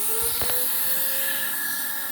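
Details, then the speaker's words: Filter Queen Majestic 360 vacuum (119649-00 5.1" motor dated 06/30/04) on suction test: steady motor whine with constant airy hiss as air leaks around the latch, suction noticeably reduced. "yeah we're still leaking i can hear it well suction's definitely gone down"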